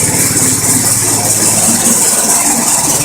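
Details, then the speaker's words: Homemade 12V generator, small engine driving alternator via new 4" pulley (was 2.5"), at idle charging batteries through PWM controller: steady even idle with light mechanical rattle and hiss; normal idle. "So this is on idle again."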